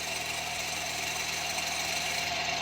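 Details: Old used car (bought for 20,000 yuan) at about 2800 m altitude, hood open at idle: loud harsh high-pitched squeal swelling and fading, owner suspects belt, area smoked the previous day; source still unknown.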